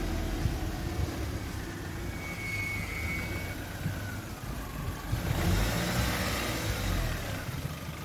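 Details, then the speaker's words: Mark One car after a day of repair jobs, at idle: a steady, even, low idle hum with no knocks or misses. The engine is very responsive and very quiet now, a normal idle. "um it's very responsive now which is good um very very quiet"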